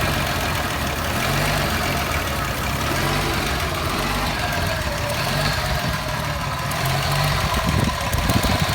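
Uneven, lumpy idle with irregular stumbles and a wavering low rumble instead of a steady beat; the engine is idling rough.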